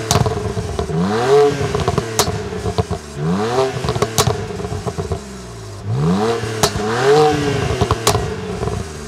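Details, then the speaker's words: 2009 BMW Z4 e89 sDrive35i, just driven 500 miles, showing a mixture control message: sharp revs followed by loud, crisp high-pitched pops on overrun. Mufflers are original; owner suspects empty catalysts, unconfirmed. "as you can hear the sound is crazy the pops are pretty high pitch and they strong i don't think the oem system would do that"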